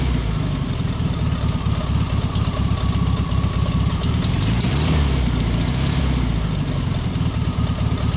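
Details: 1973 VW Thing, rebuilt (2018) dual-Solex-carbureted 1600cc flat-four with a new belt: steady, even low thrum settling into a smooth idle with no knocks or misses; sounds healthy.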